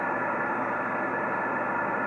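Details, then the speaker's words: Yaesu FT-1000MP Mark V 200 W HF transceiver on a 75 m dipole, same antenna clearer on another radio: steady hiss with voices buried and barely readable; excessive receive noise, cause unknown. "I go back to this one is supposed to be a far better radio or sieve and everything and it just does not sound right at all and it's picking up all of this noise"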